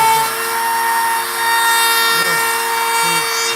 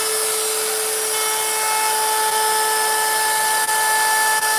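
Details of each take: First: 5.5-amp router carving a sign with a profile bit set far too deep, sinking into and halfway through the board: whine carries a rough, fluttering buzz from the bit shaking; seating the bit further into the collet reduces chatter; router bit chatter. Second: Router cutting a wood sign with a 90-degree bit: a steady high-pitched motor whine holds speed through the wood with no bogging or chatter, cutting cleanly.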